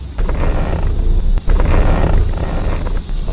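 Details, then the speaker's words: Car steering wheel turned producing a low rumble with irregular creaks and dull clunks; owner says the steering noise is cheap to fix. "打方向有异响，明明很好解决，但是你去修理厂，你猜他敢收你多少钱？"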